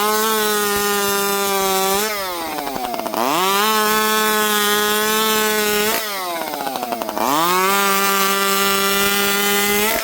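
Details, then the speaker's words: Chainsaw revs drop from a high whine, then the pitch warbles unevenly as it settles to idle. This idle warble usually means a lean low-speed jet, though saws sometimes just do it, so the low jet is being richened. "You can hear the saws kind of warbling down to idle. Um, that's usually a lean lowjet. Um, sometimes saws just do that."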